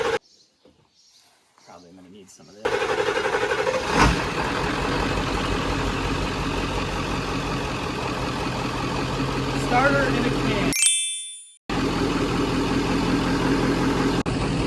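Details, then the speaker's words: Ford F-250 7.3 Power Stroke diesel, about 300,000 miles, long-sitting, cranks briefly, catches and settles into a steady, even idle clatter with no misses or knocks; below 45°F it needs starter fluid to start. "Purrs like a kitten, baby."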